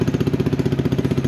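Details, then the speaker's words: X-Pro X24 250cc fuel-injected motorcycle, new, on 89 octane with factory shipping oil, warming up just after first start; quick, even putter of about ten firm pulses a second, no misses or knocks: normal cold idle. "that was a quick start guys this one has electronic fuel injection which is actually the first that I seen out there in terms of"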